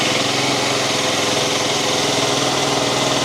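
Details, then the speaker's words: 2022 FB Mondial SMX125 125cc Euro 5 single (Motard/Enduro) at steady idle: quick, even, muffled single-cylinder thump with no misses or knocks, sounding identical to an HPS125; normal, healthy stock idle. "Well, I can confirm they are both equally uninteresting, and they sound identical to my HPS125."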